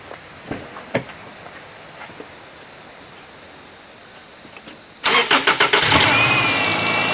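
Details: A 2002 Subaru Outback 2.5 is started after its new alternator/power steering belt was fitted, replacing a snapped one, and the bolts were tightened. Short crank, it catches quickly and settles to a smooth idle with no belt squeal or chirp. Normal running.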